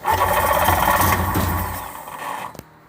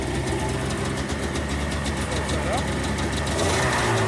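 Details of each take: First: 1994 Sea-Doo GTX, fuel run straight from the tank and marine battery after the small battery died from many attempts: starter turns over steadily about four beats a second, beginning to catch before stopping; long, reluctant crank. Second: 1994 Sea-Doo GTX two-stroke, fuel run straight from the tank, on a marine battery: it catches quickly and settles into a steady, even idle with no misses or knocking. Normal start and idle.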